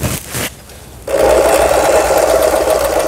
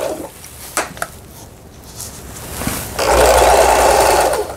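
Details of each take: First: Lion-sold Janome LR1600 sewing machine after repair of a misaligned pattern-selector upper-shaft gear and loose pulley screw, test-sewing with bottom cover not yet fitted: fast steady needle chatter about three strokes a second with loose buzzing rattle from the unfitted cover. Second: Lion-sold Janome LR1600 sewing machine after repair of a misaligned pattern-selector gear and loose pulley screw, test straight stitch with upper and lower thread, bottom cover off: smooth, even stitching whir about a second and a half; normal sewing.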